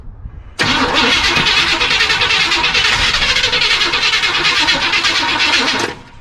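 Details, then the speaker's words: 1976 Chevy Cheyenne 4x4 long left sitting in the bush, primer poured into the carburetor and gas pumped while cranking: fast ragged cranking with coughs and pops for about five seconds, then it dies; engine fires but won't keep running. "I'm willing to bet that I'm not the only person who gets off work after having a truck bark a little bit but not really start up and ru"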